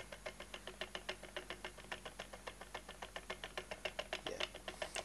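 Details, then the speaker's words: Toyota Prius four-pole motor on test rig, about 12 clicks. Crisp evenly spaced ticks about five a second over quiet background, stepping cleanly through its poles: normal commutation step clicks. "that should be 12 clicks yeah sounds about right I mean I'm not counting but I can"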